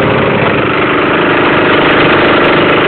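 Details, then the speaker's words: Cold start of an Emglo air compressor's Honda GX160 5.5 hp engine, electric start, fuel on, choke about halfway; single cylinder settles into a steady, even idle with no misses or knocks. Normal cold start and idle. "I'm going to do a cold start on this mlow um Honda 5.5 horsepower air compressor it's cold turn it on it's got electric start"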